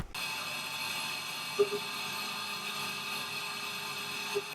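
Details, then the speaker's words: Milling cut after MSC MillMax optimisation, compared with earlier setup that chattered from resonance; smooth, even cut with steady high whir and no chatter, like a knife through butter. "now could you hear that absolutely you couldn't hear it i mean that was like but a knife through butter it really was"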